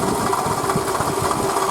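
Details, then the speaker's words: Toyota Camry 40 2008, 2AZ-FE 2.4 L, 176,000 km, original pump and idlers, idle: light quick even ticking knock from front of engine; owner suspected the water pump, confirmed after pump, belt and coolant replaced. "Все Мои подозрения оправдались это была помпа так кошмарно стучала и напугала меня очень-очень сильно"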